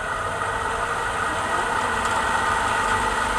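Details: Pedestal stand fan that a customer brought in for loud noise, running after a repair that fixed it without replacing the bearing: an even, steady whir with a soft constant tone and no rattle or knock; normal running.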